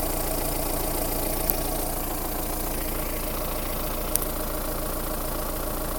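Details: Mahindra Roxor diesel cold start, starting instantly on first try: settles straight into steady, even idle clatter with usual injector knock, smooth and regular; healthy start.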